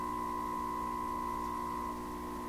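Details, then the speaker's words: 1928 RCA Victor Model 28V radio during receiver troubleshooting: a test signal fed into the antenna comes through the speaker as a clear steady tone over low mains hum. "we should be able to feed the signal right into the antenna and hear it again it's pretty humming isn't it sounds pretty hummy to me"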